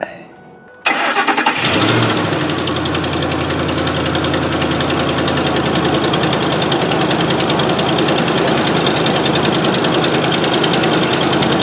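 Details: 2005 Ford F-150 FX4 with finned power steering cooler, after replacing cooler-to-reservoir return hose and topping up Mercon V: engine cranks, catches and settles into steady idle with no pump whine or groan, no leaks; normal power steering operation.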